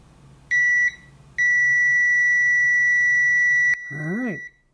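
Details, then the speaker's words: Uni-T UT161D 6,000-count multimeter in continuity mode with probes shorted: a short beep, about half a second of silence, then steady beeping even though the reading is latched; the continuity buzzer drops out intermittently. "it's latched but it does this weird PA pause so when you touch it and leave it it'll beep then have some quiet and then it'll will start beeping again"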